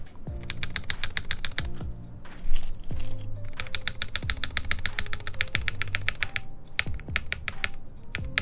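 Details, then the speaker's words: TGR Jane v2 keyboard on a UHMWPE test plate with flex cuts, OP Black switches, and a GMK spacebar. Between light key clicks, a dull hollow thump lands each time the spacebar bottoms out; the plate is suspected of hitting something, not confirmed. "Definitely sounds like the plate is hitting something, right?"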